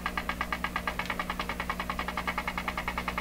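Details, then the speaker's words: Deforest 10DA517 AM tube radio, restored with all paper capacitors replaced, on a dim-bulb tester with volume down and no antenna. A fast, even putt-putt of about nine pulses a second over a steady hum; motorboating oscillation, cause not yet found. "ah I hear it ticking tell me that didn't make any difference come on attaching that wire make no difference"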